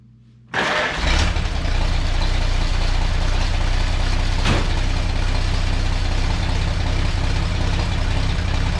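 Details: Old splash-lubricated engine with no oil pump, after exhaust-leak work and a wire fix for a miss: cranks, catches in half a second, settles into a steady, even idle with no puffing or misfire; normal idle.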